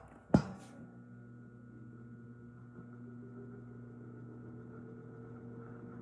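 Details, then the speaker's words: Vintage 1980s Tatung 12-inch three-speed oscillating table fan after cleaning, oiling and motor service, on low speed at 121.7 V 60 Hz drawing 0.335 A: soft, even low hum with no squeal or rattle; healthy. "Wow, that is just so impressive. We are pulling 0.335 amps and the power factor is one, so it's perfect. This is a very efficient fan."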